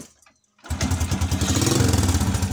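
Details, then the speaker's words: Honda XRM motorcycle after replacing the rectifier regulator with a full-wave charger for weak charging: starts promptly and settles into an even, regular idle with no misfire, even with the battery disconnected. "onon wala na siyang palya kahit walang battery okay na okay na goods"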